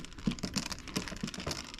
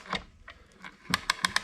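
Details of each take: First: 1927 Victrola VV 4-40 talking machine spring motor being moved during disassembly, spring seemingly unbroken but sprockets not moving: uneven dry clicking and clattering; internal rattle from a loose part, cause unconfirmed. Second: 1927 Victrola VV-4-40 talking machine after fix: a light spring held by a small screw pulls the pawl down because the original part was unavailable; crisp, evenly spaced clicks as the ratchet now catches every tooth.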